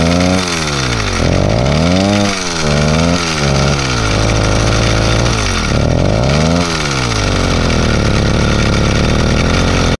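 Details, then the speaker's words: Rebuilt Zeda Triple 40 two-stroke on a motorized bike, at idle with cover off: buzzing and revving with a steady gritty rasp; grinding suspected from a wobbling clutch assembly with pressed-in bearings, to be replaced. "another reason which makes me believe this is the cause of the noise is simply because when the bike's at idle with the cover off you can see that there's a lot of wobble in the clutch assembly"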